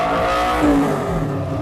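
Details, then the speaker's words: 2014 Kawasaki Ninja 250 ABS special edition, about 33,000 km: short throttle blip, pitch climbs cleanly and falls back with no hesitation or rattles; normal revving. "Oke, mari kita gas sedikit agar Anda tahu seberapa keras suara Ninja"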